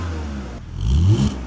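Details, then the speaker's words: BMW E46 mechanic special, seller reports thermostat and misfire codes: quick throttle blip climbs and falls cleanly with no stumble or popping; engine revs smoothly, no misfire heard. "says it has a thermostat and a misfire. See if we can hear Sounds smooth to me."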